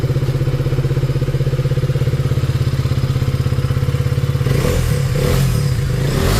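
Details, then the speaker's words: KTM Duke 250 single-cylinder before engine work: fast, even tapping over a lumpy idle, clattering as it revs; heavily worn tappet shims and a loose timing chain, bike also smokes; valve, piston and tappet noise suspected. "इसके अंदर क्या है कि शिममें जितनी है जो टैपट की शिममें होती है वो वाच कर रही है बहुत ज्यादा और ये गाड़ी मार रही है स्मोक और इसके अंदर टाइम चैन वगैरह लूज है इसकी काफी"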